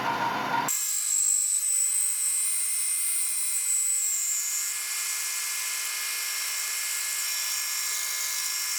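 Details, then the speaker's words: DIY milling machine cutting hub dyno frame parts: thin high squeal near 8 kHz over the spindle run, wavering then fading; suspected to come from the electric motor or speed mechanism, not the cut; cause unconfirmed. "as you can hear the all that squealing it's not actually coming from the Machining um coming from the I don't know the electric motor up there or the uh speed mechanism"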